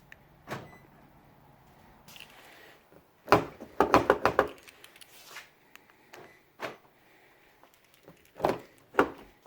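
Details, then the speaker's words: 2001-2006 Lexus LS430 (car 16 years old) right rear door lock actuator, after $10 repair: quick crisp clunks of lock, no rattle or chatter; works cleanly. "Works like a champ."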